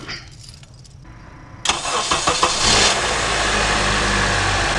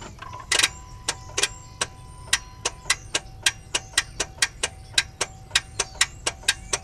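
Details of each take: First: 2009 Honda CR-V K-series engine, after starter replacement: starter whirs a few strokes, engine catches cleanly into steady even idle; healthy start. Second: 2009 Honda CR-V K-series engine, battery 12.4 V and a jump applied: sharp dry clicks about three per second on each key try, no cranking; starter failed.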